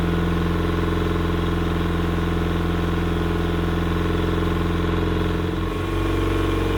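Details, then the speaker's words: Yamaha outboard on 1980/81 Sun Tracker Party Barge pontoon, water hose on, after opening fuel vent and turning choke off, before carburetor cleaning; steady, even idle with smooth low throb, no misses or stumbles. "well whatever was giving it a hard time appears to have passed through the system I let it run for a good amount of time there and it didn't seem to miss it to beat"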